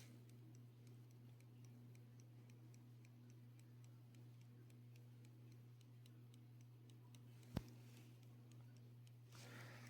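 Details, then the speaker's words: Radioactive glowing pocket watch, heard in the dark: faint, quick, even ticking at roughly five beats a second over a low steady hum; the watch is running normally. "Still radioactive, and it still glows just a little bit. I don't know if you can hear it ticking either."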